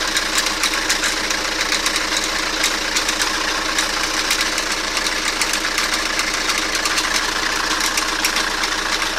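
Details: Toyota Carina at idle with a sharp metallic knock low in the engine near the oil pan, uneven at about fifty per minute; cause unknown.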